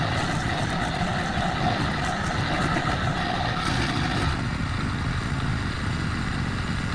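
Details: Craftsman brush mower, probably early-to-mid 2000s, sat 3 years, then carburetor rebuild, air filter, spark plug, oil and strings: steady, even flathead drone with grass-cutting noise, no misses or surging; healthy running under load.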